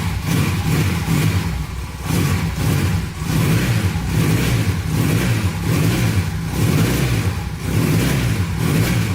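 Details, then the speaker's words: 1982 Honda CM450 that sat for years, choke off: a steady low idle with quick, even throttle blips that settle back cleanly. A slight bog the owner thinks could be the fuel; otherwise sounds good. "sounds pretty good to me there's a little bog there could just be the fuel not bad"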